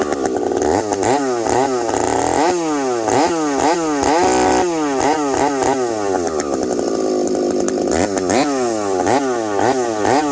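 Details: Husqvarna 372XP chainsaw fitted with a new bolt-on UFO pipe, warmed up at about -30 to -40 °C, cutting frozen ash: screams through cuts, pitch sagging and recovering, slight rich burble under load; healthy four-stroking, could be leaned a bit more.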